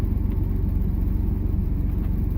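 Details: 1998 Chevy Silverado 1500 with 4.3 Vortec V6, 4WD, after a fuel pump replacement for low fuel pressure and hard starting: steady, even idle with a smooth regular firing beat and no knocks or misses; fuel pressure about 50–53 psi.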